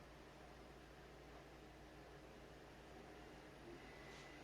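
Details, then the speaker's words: PlayStation 2 slim with the lid-detect buttons pressed by hand: soft steady whir at even speed, no clicks, scraping or grinding. The disc spins up and reads the game. Normal disc drive reading. "You see, it's working. It's reading the game."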